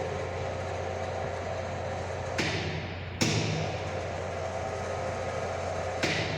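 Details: High-voltage lab sphere-to-sphere gap, 20–30 mm spacing, voltage raised via variable autotransformer: steady transformer hum broken by sharp cracks as gap flashes over; breakdown 35.42 at 30 mm (vs 12.76 before).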